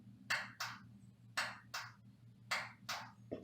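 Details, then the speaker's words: Whirlpool/Kenmore electric dryer that won't start with the door closed, after door switch replacement: three crisp press-and-release click pairs over a quiet background. The new door switch actuates cleanly and works properly. "if you look at that you can see the weights look okay and if I press it you can hear the click"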